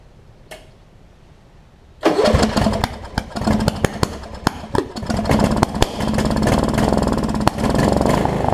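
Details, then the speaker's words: Wizard (Craftsman-type) riding mower after primer and a little gas: silence, then the engine catches and runs rough and uneven with sharp pops. It is backfiring, also when shut off; cause not found. "the problem is the backfire when I turned it off either how about that"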